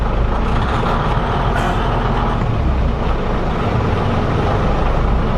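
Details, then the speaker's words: 1977 Peterbilt 359 toterhome diesel: with the throttle half down the engine speeds up to a set speed and holds dead steady; even, unwavering drone, normal governor action. "When you step on the throttle, if I mash the throttle halfway down, the engine speeds up to a certain speed and stays right there."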